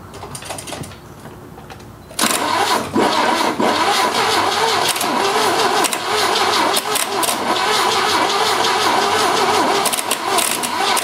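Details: 1970 Opel GT sat about 30 years, after carburetor change (Solex replaced, manual choke), new points, new Bosch Platinum plugs, choke fully open: catches then idles with occasional stumble and uneven rhythm; slight misfire, rough, cause unconfirmed.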